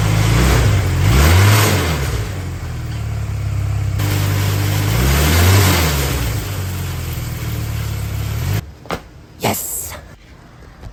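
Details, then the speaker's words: Restored go-kart engine in gear after the kickstand switch, lights and blinkers were hooked back up: revs up and back down twice with even, steady firing, then shuts off; runs cleanly. "all right so it's a couple hours later and uh the go-kart runs I can put it into gear and rev it up so that's the good news"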